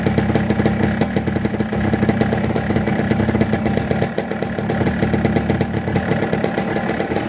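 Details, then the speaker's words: Cold-started 1989 Blaster two-stroke quad, first kick, no choke, 25°F outside, idling low and ragged with uneven firing and dips, close to stalling; not jetted correctly, owner suspects TORS acting up, idle probably needs turning up, possibly low on gas. "Started up, first kick, no choke, 25 degrees outside, sounds like it's about to die. Idle probably needs to be turned up a little bit now that it's warming up."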